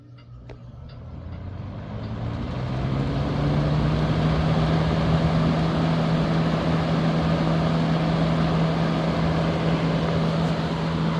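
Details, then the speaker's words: Vintage 1970s Galaxy Turbo Stream 20-inch 3-speed box fan, mint condition, first test run: spins up into a steady hum with a faint buzzy rattle from the guard cage, screws not yet tightened. "Got a little cage rattle. I haven't tightened any screws or anything up on it."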